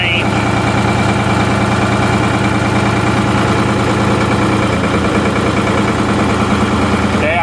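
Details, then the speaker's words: Ford 4500 backhoe diesel after clutch adjustment, clutch engaging in gear: steady diesel idle with even low throb, note sagging slightly as drive takes up, showing the transmission works though clutch grip may be limited. "actually heard the engine change a little bit. I don't know if you guys can hear that."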